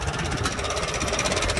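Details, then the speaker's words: Farmall antique tractor running after sitting; Sea Foam added to the tank to reach the carburetor bowl; owner suspects a leaking needle valve/seat dripping into the carb, kit on order. Even, steady beat with no misses; runs cleanly. "yeah so now i got her running good and uh what that's going to do is allow me to get that sea foam from the tank to the bowl into the carp and"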